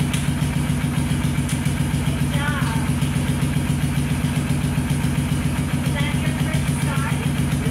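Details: Even, rapid chugging at about four beats a second without misses or knocks: a Kawasaki quad, previously a no-start, now idles steadily and runs fine.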